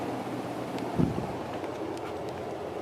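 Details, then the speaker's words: Antique Century ceiling fan, 2-speed, higher-powered motor drawing 3.55 amps, on high: steady airy rush with no ticking, rubbing or wobble pulse, well balanced; normal running. "Yeah, this one flies. It's really spinning fast and moving a ton of air. This one's pretty crazy."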